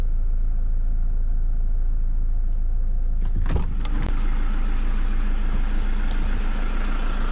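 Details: Toyota Vigo pickup idling with a steady drone and a faint fast rattle at the engine front. Cause found: failed alternator overrunning clutch pulley that spins freely, so the alternator stops charging and the warning light shows.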